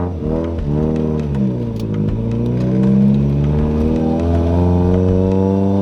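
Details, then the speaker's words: Toyota Corolla, manual, revving toward 8k rpm under hard acceleration after a clutch pedal/master adjustment: engine pitch climbs quickly without matching pull, revs flaring ahead of road speed; the clutch is slipping hard as soon as it is revved. "Definitely you could hear it slipping then, so whatever I did, definitely got to switch it back and try to figure out where this thing likes to be happy at, because it's definitely slipping hard as soon as I rev it."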